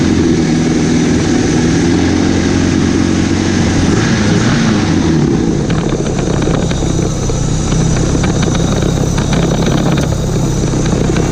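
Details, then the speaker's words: 1991 Mitsubishi Galant VR-4, custom turbo kit with Precision 5558 turbo, E85 tune, 3-inch exhaust, warm, after welding cracks in the custom turbo manifold and fixing the exhaust leak: strong, even turbo note on the two-step limiter with crisp crackles, no puffing or ticking; healthy revving. "I plugged in the fan so no more exactly sounds exactly how it should sound now"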